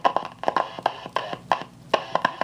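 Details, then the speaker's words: General Electric C-403A tube radio: loud, irregular scratchy crackles in quick clusters, drowning out the station while tuning. This is silver mica disease in the second intermediate-frequency transformer. "that's what silver mica disease sounds like now sometimes as i said the scratches are they're just so loud and so long that you can't even hear the station"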